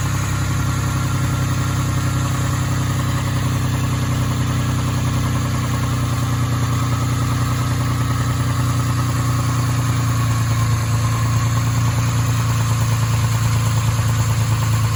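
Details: Nissan 350Z 3.5 VQ35DE V6 idling with a heavy low rumble and a loose, fairly quick knock; owner suspects rod knock, not confirmed.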